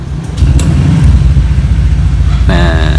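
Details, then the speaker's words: Honda Vario 150 New K59J with Juken 5+ ECU freshly set, standard racing exhaust, first start without throttle: catches on one press and settles straight into steady even low idle; starts easily. "udah enteng ya Sekali pencet tuh langsung hidup nih"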